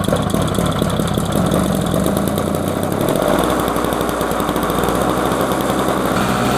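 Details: Trash-picked Snapper 17 LE snowblower: steady, even buzzing beat settling into a faster, firm rhythm; runs cleanly without misses.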